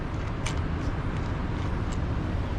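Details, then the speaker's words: 1998 Honda Accord V6 rear wheel bearing, hub turned by hand with no weight on it after removing the 32 mm hub nut: gritty rough rumble all the way round; bearing worn and rusty, rear seal apparently let moisture in. "it just sounds really grimy in there and it might have just built up a bunch of rust honestly cuz that's what it's looking like from right here"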